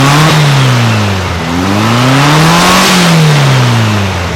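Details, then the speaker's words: 1956 VW Beetle air-cooled flat-four after valve readjustment to 0.006in feeler gauge: smooth rise and fall in revs, light even sewing-machine tick, much quieter, no rattle from either side; valve clearances sound right. "it's a lot quieter than it was a lot quieter still sounds like a sewing machine but no more of that rattle rattle rattle rattle not from either side"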